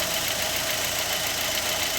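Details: Fiat Fire engine after replacing the noisy timing belt tensioner bearing: smooth, even idle hiss with no whine, chirp or rumble from the belt side; normal idle.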